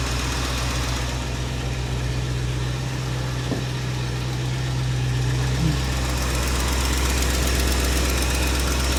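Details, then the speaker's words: 1967 Mercury Cougar V8, cold start after long storage; faint quick tick about four per second over steady idle, suspected valve train tick, possibly valve out of adjustment, caught early. "Well, I'm gonna be honest. It's already sounding like a slight tick valve train, but George, don't be so negative, buddy."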